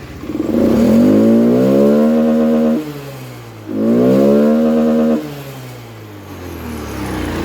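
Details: Honda Scoopy FI scooter with a runaway-throttle problem, idle set by feel to roughly the 1500 rpm a scanner should show: two quick rev blips rise cleanly and drop straight back to a steady idle; normal throttle response.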